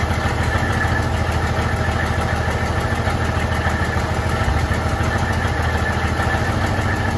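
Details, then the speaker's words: 1972 Freightliner cabover diesel truck, recently revived after 27 years, restart: fires straight up and settles into a steady, even idle with a low, regular chug, "fired right back up"; normal idle, still holding air pressure. "Fired right back up, bro. Yeah, I heard it."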